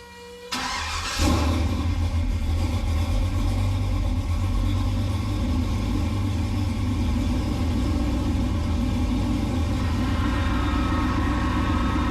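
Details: LS-swapped 1969 C50 farm truck, replacement computer roughly programmed, Hydro Boost just rebuilt: cranks briefly, catches cleanly and settles into a strong, even V8 rumble with no misses or knocks; normal start and rev.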